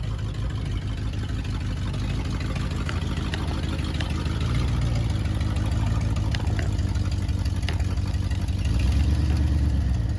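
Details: 1979 Ford F100 V8, sat ten years, idling after cleaned carburetor installed: low, steady burble with slight lope that settles and picks up near the end, no knocks or misses; normal idle.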